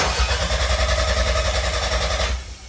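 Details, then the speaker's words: 1993 Toyota MR2 with a 3S-GTE Gen5 swap, first start after the build: it catches almost at once and settles into a steady, even beat with no knocks or misses; smoke is thought to be paint burning off, no leaks seen, normal start. "but the good news, guys, it fired up and it literally cranked one punch and it cranked right over once we got it going."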